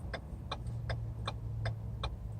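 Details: Car just back from rotor replacement and wheel balancing, push start button pressed: about seven sharp evenly spaced clicks, roughly three a second, over a low hum with no cranking.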